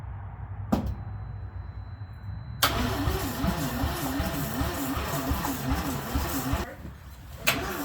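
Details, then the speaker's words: FB RX-7 that would not run: the starter groans in an uneven, dragging wobble of about two and a half beats a second, slow cranking that never fires; the battery barely reads and the old one may have a bad cell. "Go ahead and crank it. It's just barely reading. It's not giving me nothing. All right, so got a new battery in. The old one, I think the old one might actually have a bad cell."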